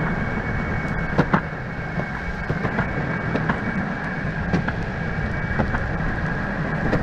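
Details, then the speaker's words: Brand-new Verreal RS electric skateboard, about 18.8 miles on the remote odometer, riding over cracks and rough asphalt: constant rumbling clatter with sharp knocks as the whole board rattles loudly, while the motors stay quiet; smooth asphalt sounds fine. "so the motors aren't loud but the entire board is louder than the heck so let me get some video on that i'll throw it in at the end"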